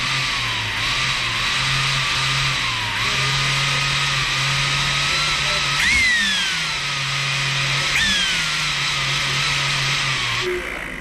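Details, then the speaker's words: Makita vacuum with a motor whine that sags and surges unevenly every few seconds, not holding a steady speed; the switch is suspected as the cause. "So, this thing's doing something interesting."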